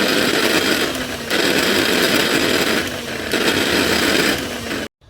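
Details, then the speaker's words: Mixer grinder brought in for coupling replacement: loud harsh high-pitched roar with grinding edge surging every couple of seconds; worn motor bush, needs bush replacement. "क्योंकि यह mixture गंड बहुत आवाज कर रहा है तो क्या आवाज कैसा आ रहा है वो भी आप लोग एक बार देख लीजिए तो आप लोगों को पता हो जाएगा कि मिक्सचर गंड का बूस्ट खराब होने पर कैसा आवाज होता है ठीक है"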